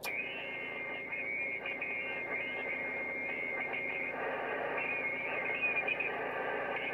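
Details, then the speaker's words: CB radio on mobile large antenna during net: loud rough crackling noise at signal strength eight fills the channel, swamping weaker stations; strong interference (QRM), source not clear. "i don't know if anybody else is coming back to me because i'm actually getting wiped out uh it's a blooming signal eight of that noise that's coming in"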